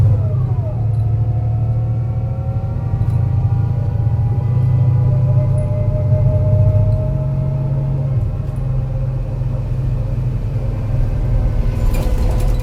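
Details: MAN NL202 CNG bus with ZF Ecomat 5-speed gearbox climbing a hilly route: deep engine labouring uphill with an uneven lumpy beat staying rough through the gearshift; bad misfire under load.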